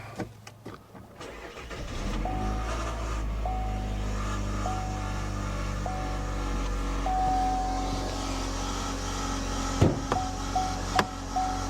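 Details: 2019 Chevy Cruze 1.4 turbo at 70,000 miles: engine drone with thin mid-pitched whine coming and going; not the suspected purge valve, sounds like transmission area, shifts a little weird, no fluid leak; cause unconfirmed.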